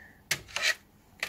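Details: Dead-on-arrival Pioneer PD-S503 CD player under diagnosis: the carriage/loading motor gives two short raspy whirring bursts, each stopping crisply. The motor and switches work properly, but the disc does not spin up.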